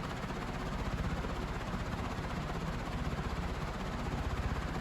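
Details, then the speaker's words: Emerson Stratojet model 1152 industrial ceiling fan with curved plastic blades, running at high speed; tach readings of 961–1030 were taken as about 1,000, estimated around 330 RPM. A steady low whoosh with an even pulse and no rubbing; normal running. "So let's just go with 1,000 and say it's like 330, which seems about right, honestly. Yeah, you're right. That's like at over 300 RPM."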